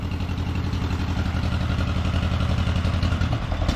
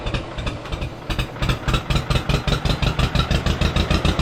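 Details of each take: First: 1953 John Deere 40 tractor after sitting for years, new rotor, choked, throttle up, warming: uneven lumpy idle missing and stumbling about three to four beats a second, then it dies. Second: 1953 John Deere 40 first start after sitting for years, with a new rotor, choked and throttle slightly open: steady, even firing at about four beats a second, settling into a smooth warm-up idle; it later died.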